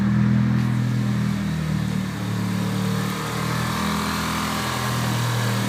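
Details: 1995 Mitsubishi Eclipse GSX, 137k miles, Forced Performance 16G Evo III turbo, full 3" exhaust with Magnaflow muffler. Deep heavy running with an irregular knock/tick under the exhaust drone; previous owner suspects spun rod bearing, bent valve also questioned; source unclear, top or bottom end.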